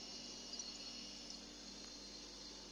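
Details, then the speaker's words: Refrigerator running quietly after repair: compressor feet rubber grommets (possibly loosened/crushed) reinforced with three stacked washers per screw behind rear compressor cover; before, loud noise from back. Now even hum with soft fan hiss, no rattles; noise eliminated. "önce gürültülü çalışan buzdolabı sessiz şekilde çalışıyor hiç motor sesinden fan sesinden başka bir ses duymuyoruz ve sesi gidermiş olduk"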